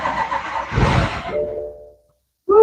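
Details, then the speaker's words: 2014 BMW 535i, abandoned car being rebuilt on day 45: the starter churns about 1.5 seconds but the engine never catches, crank no start; the owner suspects a fuse was not put back, unconfirmed. "Oh man, we didn't get that start that we wanted. What's going on? Try it again."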